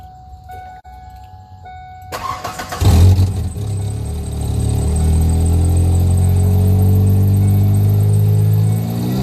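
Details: Stock 2.3 L four-cylinder Foxbody Mustang, sub-100 hp, filmed before restoration: starter spins briefly, engine catches with a quick rev, then settles into a steady, even low four-cylinder idle; normal start and idle.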